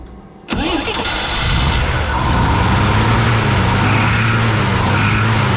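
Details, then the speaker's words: 1968 Jeep J2000 Gladiator with a new carburetor after earlier fuel starvation: a brief crank, then a wavering, lumpy idle that never settles. It is flooding, with a massive fuel leak, because the float needle is stuck open; the needle and seat need cleaning. "so now I have the opposite rum I had no fuel no I have too much fuel this thing is flooded I gotta clean the needle and seat out"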